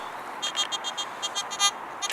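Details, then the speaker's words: Garrett AT Gold metal detector just switched on after battery fitted, chattering with rapid irregular high chirps and warbles, no target; cause undetermined. "if you guys can hear that it is chattering which is good"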